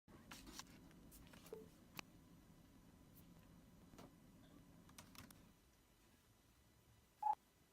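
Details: Late 2016 MacBook Pro 15-inch, unaltered audio: sharp irregular pops and ticks persisting after antenna/vent module replacement; stopped after display assembly (lid) was replaced.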